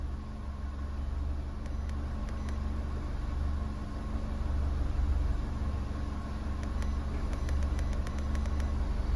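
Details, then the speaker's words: 6th-gen Holden Barina (Cruze/Sonic) EcoTec petrol engine after intake VVT solenoid replacement: steady, even low idle hum, zero misfire counts on all cylinders, slight RPM hunting at startup; startup misfire fixed. "there was no misfire at all you could hear the engine was actually really smooth"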